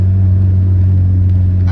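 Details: Driving after CV axle replacement on a manual car, up to about 50 mph: steady deep droning hum over low road rumble; the whirring noise is still present, source unclear, and owner is worried about the clutch.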